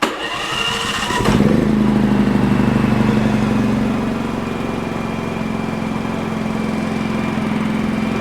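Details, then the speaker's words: Champion 4500 W dual-fuel inverter generator that came in not running, on propane, covers off, electric start without choke, eco mode: brief starter whir, catches and settles to quiet steady idle, rated about 61 dB; normal start and idle. "She's quiet even without the covers on. These are only supposed to run about 61 decibels."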